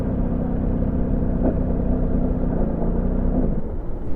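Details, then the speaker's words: Scooter with Polini clutch and newly fitted pin-type manual choke, idling: rough, lumpy idle with a dull clunk and rumble just before it stalls; cooling fan and drive checked fine, owner suspects seizure or lean mixture, cause unconfirmed. "アイドリング止まるときね、これ止まる直前、ゴトン、ゴゴゴみたいな感じの音が鳴ってますよ"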